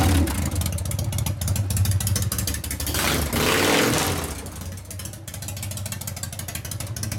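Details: 1999 80ci Evo V-twin, rigid, after reassembly: steady, even run with a smooth throttle blip, no clatter or clank from the primary side, which clanked before the repair. Normal running.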